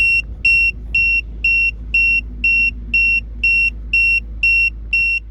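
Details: Tymate aftermarket tire pressure monitor with one sensor removed: steady high beeping about two per second, evenly spaced; alarm for a lost sensor signal.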